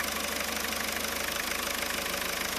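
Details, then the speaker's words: Diesel after repairing a connector break in the alternator-to-battery charging wire, RPM raised slightly to check charging voltage (14 V): even clatter at slightly raised idle, steady beat, no misses or knocks; runs normally. "okay as you can tell it's running so what we're going to do now is check charging system voltage we going to raise the RPM just a little bit"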